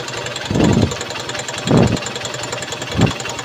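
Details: Honda CB Shine single-cylinder motorcycle after carburetor cleaning for a petrol leak, idle speed adjusted: steady idle with three quick throttle blips that rise and settle cleanly; no misfire or knock, engine sounds healthy.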